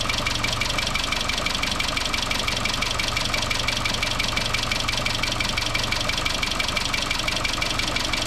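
Fast, even metallic ticking rattle sits over the idle and never lets up: lifters starved of oil pressure are clattering.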